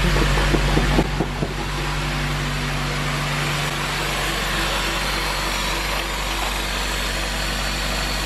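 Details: Honda K24 engine swapped into an EP3, stock budget build, first start: after a brief blip it settles into a smooth, even idle with a steady low hum, no knocks or misses; normal idle.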